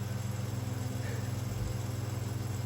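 A low motor hum with a fast, regular rubbing flutter on every turn, from the rotor catching loose winding insulation.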